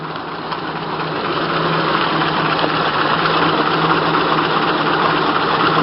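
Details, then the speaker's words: Low-mileage 1927 Packard 443 Club Coupe, just started and still cold: steady, even idle with soft low hum and faint regular ticking, no misses or knocks; fires right up, sounds good and runs well before RPMs are lowered. "can see it sounds good and runs well. And I can probably lower it even though it's still cold."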